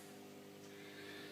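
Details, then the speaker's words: Air pump driving the stock protein skimmer on a TMC 30L MicroHabitat nano reef tank: a low, steady drone with constant pitch. The owner calls it horribly loud and says it drones terribly. "That air pump is a horrible noise, I think you can hear it."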